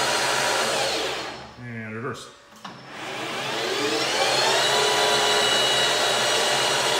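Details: PM-1440GT lathe with a new Marathon E470 3 hp 230 V motor on a Hitachi WJ200-022SF VFD, replacing the cogging stock motor, in high gear H2 at 1,350 rpm: after a brief dip, a clean whine climbs to high speed and holds steady, no grinding; normal motor run.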